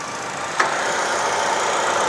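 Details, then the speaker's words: 2013 Chevrolet Spin LTZ, 1.5 L 4-cylinder petrol, 5-speed manual, at idle: click then AC compressor switched on running smoothly with steady hum, no bearing growl; compressor normal. "ini dari kompresor juga belum menimbulkan suara bearing jadi aman"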